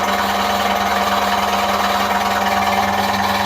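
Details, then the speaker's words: 1960s relay-controlled compressor on mains power, started via start/stop switch after transformer energizes: steady motor hum with an even mechanical chatter around three per second, no knocks or squeals; normal running. "I shall press the start site start switch now then activates everything everything's live now"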